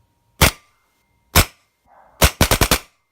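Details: Paintball marker aired up with an empty breech: sharp dry cracks singly, then a quick burst of five; it fires without a paintball, shows a Vision Fault, trigger jams; suspected eyes, trigger or board fault.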